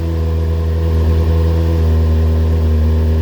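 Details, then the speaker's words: Kawasaki Ninja during rebuild, first start with cooling refilled, plugs cleaned, a little choke, now quieter with airbox refitted, before warm-up: smooth steady multi-cylinder hum, no ticking, rattles or stumbles, no smoke; normal idle. "sounds really good actually very nice and smooth no smoke oh yeah nice and quiet had an air box on it was a bit throaty before obviously because it was sucking hearing straight from the outside"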